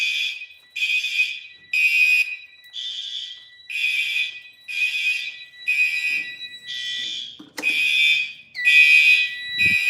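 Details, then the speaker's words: A fire alarm system is activated on a countdown, with relays clicking: a high electronic horn pulses about once a second, with a sharp relay click midway. Normal fire alarm activation. "Can hear those relays clicking in there. It's pretty cool."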